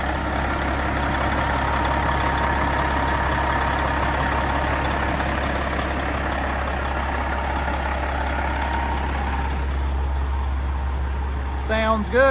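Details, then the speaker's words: Detroit Series 60 12.7 diesel, about 980,000 miles, just given first overhaul with PDI kit and stage 2 head: steady, deep idle with even, unbroken clatter, no knocks or misses; normal idle. "Man, sounds like an old Detroit. Smells like one, too."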